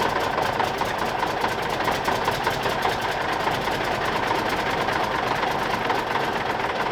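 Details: Cummins Big CAM IV, cold start at -6 °C without block heater: even, rapid diesel clatter holding a steady beat with no stumbles or misses; normal cold idle.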